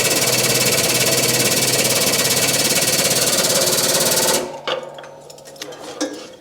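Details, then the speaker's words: Shop press with new 32-ton Vevor air-over-hydraulic jack, first test: rapid even pumping rattle about three beats a second, steady then clean stop; noticeably quieter than old jack, working normally. "it's a lot quieter don't know whether that really matters"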